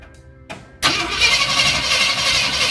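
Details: 1965 Ford F250 during fuel pump test with fuel line disconnected: starter kicks in abruptly, engine turns over steadily with a hissing fast whir but never catches; cranks without starting, fuel flowing, spark checked next.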